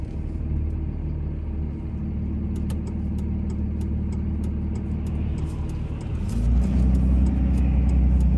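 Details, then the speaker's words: 2003 Dodge Ram 2500 Sport 4x4, 5.9 Cummins diesel, 85k miles, automatic: deep, steady diesel rumble pulling uphill with one smooth gear change near six seconds, no knocks or rattles; normal acceleration, engine and transmission healthy. "we'll take off and we'll head up the hill so we can hear the 5 9 run as well as put the automatic transmission through all the gears so you can hear for yourself there's no issues with anything on this truck at all"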